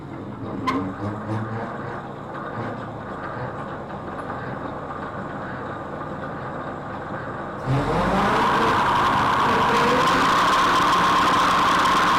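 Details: Rotary mower gearbox after repair and oil refill, driven by the tractor PTO as a test. The tractor engine comes up and the mower spins into a loud, even whirr with no knocks or grinding; the gearbox runs normally.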